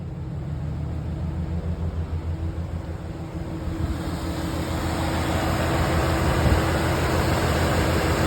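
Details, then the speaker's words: 2011 GMC Sierra 1500, 110,000 miles, with a freshly installed junkyard V8 on first run: a smooth, even idle under rising fan rush, no ticking or knocking, running pretty good; some parts are still unhooked. "She's running pretty good. Not bad."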